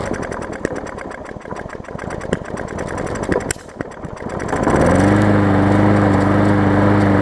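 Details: Hyper Tough push mower, a customer return with a severely bent blade. First run gives messy, uneven popping and clatter that settles into a steady drone, with a loose gas tank touching the deck; cause not confirmed. Rough running.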